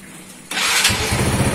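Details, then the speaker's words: Honda Revo motorcycle after replacing the broken old exhaust with a new one: starter whirs, engine catches and settles into a quick, even, smooth putter with no hiss or puffing; normal start. "Hai halus suaranya pengusaha warnanya halus Oke ya udah cantik pokoknya"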